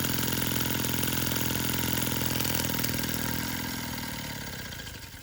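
Even, regular chuffing at about three beats a second, smooth and steady before slowing and fading away; a healthy little engine running nicely.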